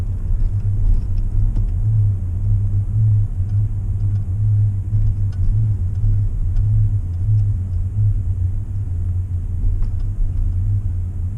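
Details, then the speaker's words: Ford F150 cruising on a cold morning (around 2–10 degrees): steady low droning hum under road noise, even pitch, stops when turning left; absent when warm; source unclear, possibly a bearing. "every time I drive the truck it does the noise except for when it's hot of course and in the morning early in the morning it will do the noise"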